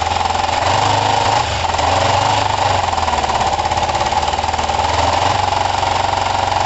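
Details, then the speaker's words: Kawasaki ER5 twin, after carb float height work, with good spark on both cylinders and new coils: uneven, lumpy running with irregular pops and spits back through the intake. The owner suspects the carbs; it seems a touch more responsive but not perfect, with a compression test next. "there was that weird back spit we it does still feel car related to [Laughter] me half feels to me like it's a bit better but not perfect"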